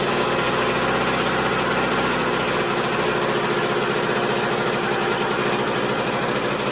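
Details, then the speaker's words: 2000 Honda CR125R two-stroke at idle on first start: loose, uneven metallic rattle over a buzzy idle, from a worn connecting rod and crank bearing; engine died within seconds and kickstarter dragged. "um yeah there's a heck of a rattle there we're definitely gonna have to dig into it and find out what that is"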